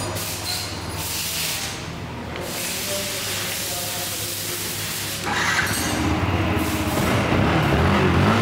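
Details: Yamaha R15 idling after timing chain and other parts were replaced, cylinder kit with about 50 km on it; steady, even idle with a smooth low hum and no ticking or rattle from the top end; normal idle.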